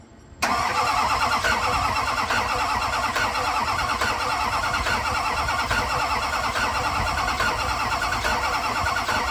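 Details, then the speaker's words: Engine start and idle on an LB7 Duramax diesel pickup just after installing a new set of injectors, replacing ones that largely failed testing and rattled badly: short crank, catches immediately, steady even idle with no clear knock or stumble. "d that sounds a million times right before I changed these out the injectors were rattling so bad"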